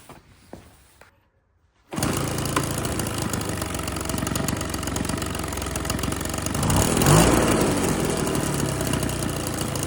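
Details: Husqvarna 130BT leaf blower two-stroke with aftermarket carburetor, no blower tubes or air filter fitted; fires after a few pulls and holds a steady buzzy run, reaching full RPM unlike the earlier lean, bogging carb. Normal running.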